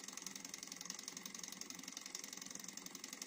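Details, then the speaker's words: Mini Alpha Stirling engine running on an alcohol burner after re-setting piston timing, since a loosened pulley screw had decoupled it; faint, even ticking about four beats a second; speeds up with more heat. Normal running. "Donc il démarre un petit il faut bien le chauffer pendant au moins de 2 minutes."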